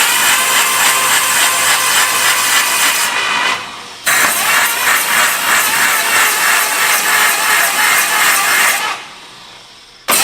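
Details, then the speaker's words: 1951/52 Buick Super abandoned 40+ years, first start attempt on brake clean after oiling distributor: starter cranking about three beats a second with hollow uneven compression rhythm; owners suspect a couple of intake valves stuck open, not sealing. "Sounds like some intake valves aren't sealing too good, doesn't it? Stuck open. Couple unhappy intake valves."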